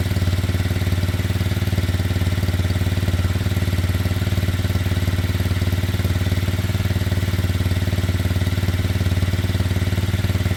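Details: Kymco Zing 125 after running issues sorted, before MOT, on a quick test run: smooth, even low thrum, steady with no misses or knocks. Idle possibly a touch high, to be readjusted. Normal idle.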